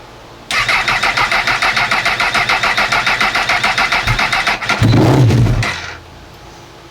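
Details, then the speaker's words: Honda CB1000R, new rectifier and starter motor fitted earlier, won't start: even cranking about three and a half strokes a second with starting spray, no start, then catches briefly on a second try. "And then we'll see if it starts now. Nope. So, I'll give it another chance."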